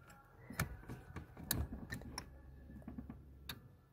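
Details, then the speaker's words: Volkswagen Jetta A4/MK4 with intermittent no-start, after installing new 409 relay, ignition switched on: sharp relay click with faint steady fuel pump hum as pressure builds; normal fuel pump relay click and prime. "se escucho que hizo un clic significa que ya cargo aquí la bomba de combustible la presión"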